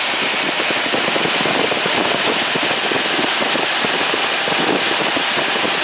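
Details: 1979 Ford F250 with crank-no-start, after spark confirmed with a test light: engine fires and keeps running with a fast, even, loud popping roar and no misses; now starts and runs fine.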